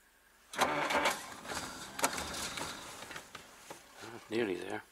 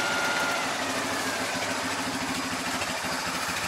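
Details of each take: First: Old car in snow, cold, fired once then cranked repeatedly with pumping: slow dragging cranking bursts with pauses, never catches; owner blames cold, fears flooding it and running the battery down; cranks but won't start. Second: Jaguar, hand throttle down, ticking over after starting in snow: even settled idle with soft steady beat, no misses or hunting; quiet, smooth, not vibrating; normal idle.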